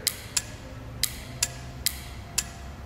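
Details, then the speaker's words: Relay being energized: about seven sharp ticks in three seconds, each the electromagnet snapping the contact closed; relay switching properly. "I'll show you that electromagnet in action that's basically that clicking you here"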